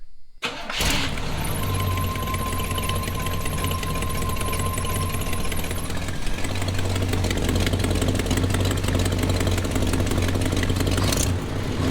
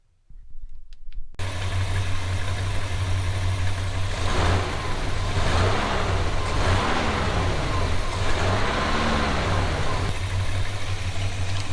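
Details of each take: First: 1986 GMC truck V8, before installing used headers: cranks, catches and idles with a rough, raspy puffing tick over the low rumble from leaking exhaust manifold gaskets at two known spots. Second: 1986 GMC truck, first start after swapping in used headers with old gaskets to cure a bad exhaust leak: the engine catches and settles into a steady, even rumble with light throttle blips, no ticking or puffing at the manifolds; normal running.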